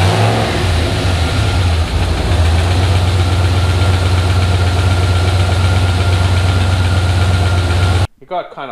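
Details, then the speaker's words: Turbo 5.3 LS V8 in an S-10 at first startup after a junkyard rebuild (bent gen 4 rod replaced, tick blamed on piston hitting crank), no antifreeze; lifters noisy at first, then steady even smooth idle without ticking or knocking. "i mean the lifters were noisy when i first fired it up but then after it ran for a bit it seemed"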